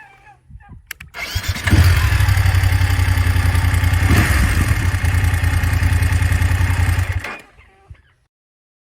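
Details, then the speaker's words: BMW F850GS motorcycle, clip from comparison of recordings across its life: starts and idles with light quick rhythmic top-end tick; owner says ticking has always been present, cam chain tensioner suspected by mechanic, not confirmed. "i mean i think there's a fair assumption that i've always kind of had a rattly claddly bike and you know i wouldn't necessarily notice what curtis hears but there's absolutely a ticking going on"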